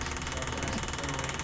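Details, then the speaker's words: Cat 259D after engine rebuild, before first crank with radiator fitted, engine stopped: fast, even electric buzz pulsing steadily as the fuel pump primes; the pump sounds good, normal. "It don't sound, the fuel pump sounds good. You might as well go on and crank it."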